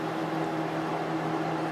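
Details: Lakewood P223 fan with Westinghouse motor after cleaning and oiling bearings and wick: smooth, steady hum, even low tone, no rubbing or ticking; motor running healthy.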